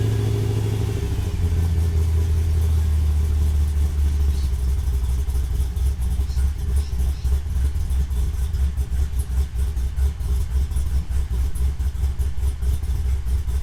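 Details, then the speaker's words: Holden VY ute with cammed LS1 V8, T56 manual, 274 kW on dyno, rev limiter raised to 6800 rpm: cold start cranks and catches within a second, then a deep, lumpy, steady idle with an even beat, exhaust still fairly tame; normal cold start idle. "So as you can hear, it's still tamed. Wish it was a bit louder, but it is a daily, so nothing, it'll do for now."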